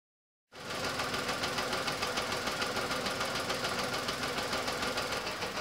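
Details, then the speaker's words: Petrol car idling rough and lumpy with the EML light on and code P0303: cylinder 3 misfiring because its coil-over-plug ignition coil gives no spark. "read the codes out of ECU the EML light was on and the code is p0 303 that tells me that it's misfiring on cylinder number 3"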